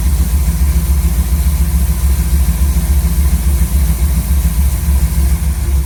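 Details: Chevy C10 V8 truck after a new Maxpeedingrods Quadrajet carburetor install: smooth low rumble at a steady idle, firing evenly without stumbles or mechanical noise. Idle was raised quite a bit and mixture tuned to about 15 in of vacuum. Normal idle.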